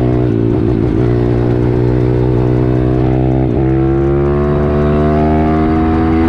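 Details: 140cc YX pit bike engine with a home-built cylinder head and long gearing, ridden on a test run: a strong, steady engine note that climbs smoothly in pitch as it pulls hard under load, with no misses or knocks; the engine runs healthy.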